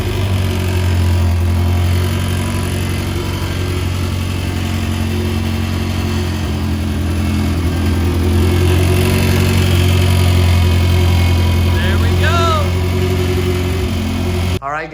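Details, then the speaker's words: High-compression B20 engine swapped into an EJ1 Civic coupe, first start after the swap: steady, deep engine note that stays even and picks up cleanly on light revs; runs healthy. "so you just heard this car startup for the very first time"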